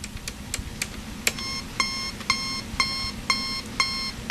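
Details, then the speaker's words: National Panasonic RC-65B clock radio alarm: harsh rasping beeps about twice a second through the speaker, distorted and not volume controllable; speaker possibly blown, not confirmed. "can here it comes to the speaker as well so it's all so messed up it's not volume controllable"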